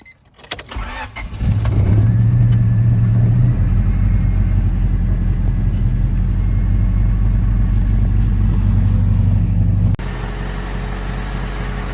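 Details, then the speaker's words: Honda Civic cold start without silencer, exhaust leaks fixed with custom exhaust: engine cranks, catches and settles into a deep, uneven idle with an irregular stumble. Engine misfire now clearly audible though quieter overall. "You can definitely hear the misfire a lot more clearly, but all in all, it's a lot more quiet, which I love."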